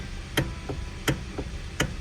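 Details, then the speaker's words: 2013 Hyundai Sonata, sharp clicks as the steering wheel is rocked back and forth, believed to come from the electric power steering motor. "here's the problem with this Hyundai Sonata when you wiggle the steering wheel you hear that noise there's clicking noise"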